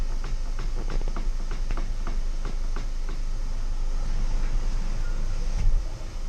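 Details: Volkswagen Passat B6 driving: sharp, fairly regular knocks about three a second over low road rumble, then fading; a front-end knock, steering rack suspected but unconfirmed.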